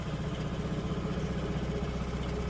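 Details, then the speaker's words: Series 2 positive-earth Morris Minor idling after a new ignition coil was fitted: smooth, even, low idle with a steady beat and no misses or knocks; engine running healthily, coil replacement successful. "Well, sounds good. Yeah. Yep, sounds fine."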